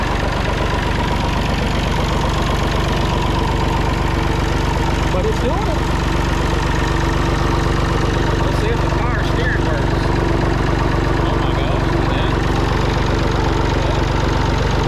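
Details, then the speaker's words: Massey Ferguson 245 three-cylinder diesel tractor idling after sitting 12+ years, burnt/melted radiator, shortly after first start; steady, even clatter about two and a half beats a second, no misses or knocks. Normal idle. "You just can't kill these old tractors. These old diesel engines charge it."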